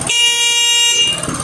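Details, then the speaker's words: Motorcycle horn after fitting a battery, engine running: steady strong one-second blast holding even pitch without pulsing; horn fixed, normal. "pueden escucharme estimados amigos que ya está solucionado el claxon tiene una intensidad correcta y potente ya no está parpadeando con"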